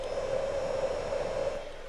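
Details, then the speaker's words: Cheap Temu 200W inverter on a DeWALT 18V/20V battery, just switched on; steady, loud cooling-fan whine at constant pitch, easing off slightly; the inverter's cooling fan is noisy. "Oh, you can hear the fan. The fan is running."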